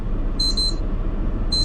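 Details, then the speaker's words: HOVER Air X1 Pro Max drone in flight: high-pitched chirping beep bursts about once a second over rotor and wind noise; drone low battery warning. "Low battery. >> Oh, >> please return immediately."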